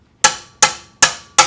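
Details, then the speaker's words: 1962 Chrysler 361 big-block with the valve cover off, valves tapped with a hammer: four bright ringing pings about 0.4 s apart with no dull thud, meaning this valve is free rather than stuck. "if the valve is stuck you're going to hear a thud but if the valve is not stuck you're gonna hear like a ping because you'll be hitting the valve and it'll be coming so like this one here listen"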